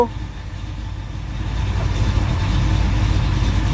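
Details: 1969 Pontiac GTO V8, first start after FiTech fuel injection conversion, cold, no pedal priming; low even rumble that firms up and holds steady around 900 rpm without hunting or stumbling; normal idle.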